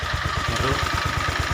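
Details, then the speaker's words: Honda Vario 125 LED scooter that previously would not electric-start, now starting after wiring checks: small single idles with a quick, even low putter, about seven beats a second, no misses; healthy. "Sudah nyala. Udah nyala ya. Ini tadinya nggak mau nyala, sekarang udah nyala ya."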